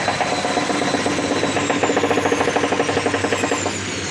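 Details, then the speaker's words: Drean washing machine in spin cycle, with new shock absorbers and tight counterweights, knocking rhythmically about seven times a second; suspected worn drum bearing moving in its housing, not confirmed. "Fíjate que lo haciendo el proceso de balanceo estamos totalmente en vivo para que vos lo escuches junto conmigo y observes como el equipo hace ese ruido característico en base a esos dos problemas que yo te podría venir comentando"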